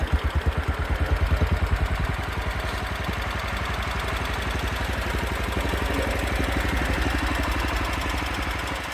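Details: Allis Chalmers 712 lawn tractor prepared for pulling, fuel filter drained of water: single-cylinder thump about three beats a second, steady and even after catching, no misfire; normal running.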